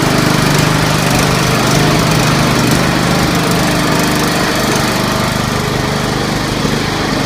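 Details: Scotts 1742 lawn tractor, Briggs & Stratton Intek 17 hp OHV, after head gasket replacement, valve lash adjustment and full service: loud, steady single-cylinder drone at constant speed, even firing, no knocking or misses. Normal running.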